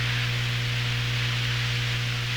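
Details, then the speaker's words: Hammarlund SP-600 receiver, 65 paper capacitors replaced years ago, tuned to 19 MHz with audio fed directly into the recording: steady low hum with a faint higher tone over hiss while warming up; owner suspects the audio hookup rather than the set. "lots of hum there"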